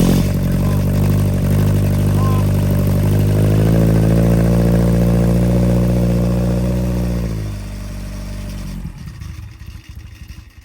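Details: Fresh 1200cc five-bearing sand-cast Hillman Imp engine with experimental Coventry Climax FWH head, first fire-up on the dyno after ignition advance adjustment: strong, even firing, picks up smoothly with throttle and settles; healthy, though possibly a bit lean.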